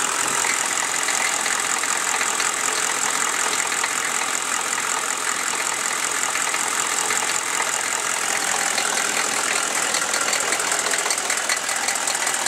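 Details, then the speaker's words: Chevy 6.5L diesel warming at idle: light, uneven top-end tick over a hissy idle with little low rumble, appearing once warm; owner suspects a valve or rocker arm needing adjustment, unconfirmed. "I'm pretty sure it's a valve, but I can't really tell. I mean, that just sounds like a valve to me, but I'm not too sure."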